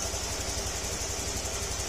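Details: Honda Click 150 scooter, 41,000 km, after engine overhaul with crankshaft work and ECU wire rerouted; even, quick low pulsing at steady idle with faint hiss, no ticking or rattle, quiet again; normal idle.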